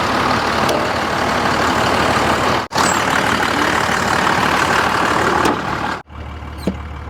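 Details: 1986 Ford with swapped Cummins diesel just jump-started with cables: heavy diesel clatter runs on steadily with only brief dropouts and no knocks; running normally before the drive home.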